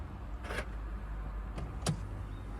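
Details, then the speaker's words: BMW seatbelt presenter ("butler") triggered with ignition on after the seat was plugged back in: short quiet motor whirs and a click in a silent cabin as the arm moves out normally. "seatbelt butler. Oh, there we go. Yeah. Oh, that noise just sends fear into any BMW owner's heart."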